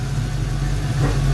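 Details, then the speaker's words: 1990 Ford Mustang GT Foxbody V8, manual, new Alloyworks radiator, warming up: deep, smooth steady idle without hunting after rough idle fixed by cleaning idle air control valve with brake fluid; normal idle. "my rough idle problem turned out to be my IAC idle air control valve I took it off I cleaned it out with brake fluid put it back on she seems to be running pretty good right now"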